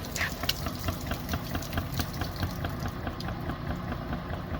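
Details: LG washing machine in spin, jumping aggressively: irregular heavy thuds about twice a second over water slosh and motor hum as the tub bangs around; knocking in spin from worn shock absorbers.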